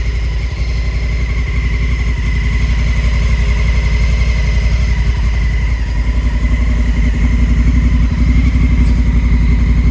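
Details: 2019 Honda Africa Twin at steady idle with a light, even tick about three per second; abnormal engine noise, cause unclear.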